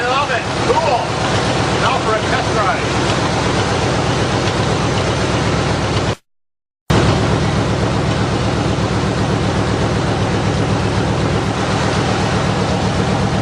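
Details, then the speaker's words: Buick Roadmaster, 5.7 L throttle-body fuel-injected V8, first start after fitting homemade custom open headers: a loud, raw, deep rumble with a fast, even beat and no knocks or misses; the engine runs healthily. "That sounds awesome. You like? I like."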